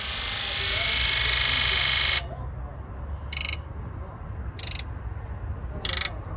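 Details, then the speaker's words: Ford E-350 4x4 7.3 diesel with lack of power, codes for high-to-low side open and injector driver module failure, key-on click test: long steady buzz then short sharp buzzes; all 8 injectors buzzing. "This is also known as the click test. We can actually hear the injectors. You want to listen to the sound of each of them."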